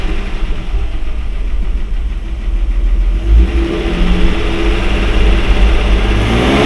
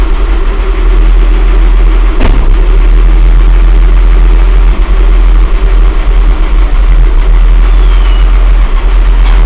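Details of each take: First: Mercedes W126, carburetted, running on a substitute carburetor fitted to diagnose high idle: even, steady idle around 800 rpm that picks up cleanly on throttle and settles back smoothly; engine healthy, original carburetor suspected. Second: Mercedes W126, back running after repairs, driving slowly: heavy, deep, steady drone low under the engine note; the muffler rumbles loudly, pleasant inside the cabin, suggesting a tired, leaking muffler.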